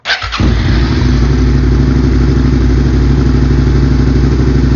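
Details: Second-gen Suzuki SV650 V-twin after coil-on-plug conversion, some connectors unplugged so FI light on; starter catches within half a second, then steady even deep idle with no misses; healthy start and idle.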